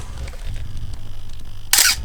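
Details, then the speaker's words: Canon A1 camera number 2, the one with the most pronounced shutter squeak, fired before its repair: one sharp release with a thin squeaky edge on the snap in a quiet room, dry shutter mechanism squeaking. "Écoutez, on va passer au suivant de ces messieurs, donc qui est celui qui avait le squeak le plus prononcé. Alors, pour mémoire, on va se refaire ce gentil squeak"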